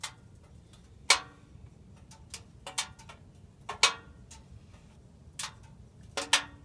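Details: Subaru just after engine shutdown: sharp irregular metallic ticks in a quiet engine bay; owner unsure whether it is a problem or just the engine cooling off.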